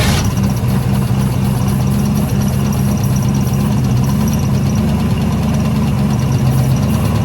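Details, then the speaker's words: 1972 Ford F100 that sat for decades with a previously locked engine, first start-up with the key on: low, throbbing, wavering rough idle that barely holds and almost stays idling. Owner suspects a remaining vacuum leak. "Now that the key's on, it runs. It idles. It doesn't run. Idles. Got a little vacuum leak somewhere still."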